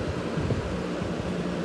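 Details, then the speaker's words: Wizard 20-inch two-speed four-blade box fan, model possibly 6-1, on low speed drawing about 1.85-1.86 amps (low is more like medium): even airy whoosh with steady low hum, no wobble or rattle; normal running on low. "Low is more like a medium. And on the kilowatt meter, we are at 1.85, 1.86 amps."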